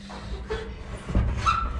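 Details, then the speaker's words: Garage door roller worked by hand before lubricating: short, high chirping squeaks over a low rumble; roller stiff and dirty, owner suspects lack of lubrication, to be greased and replaced. "Okay, it's really cranky. Hear how that's all squeaky and stuff."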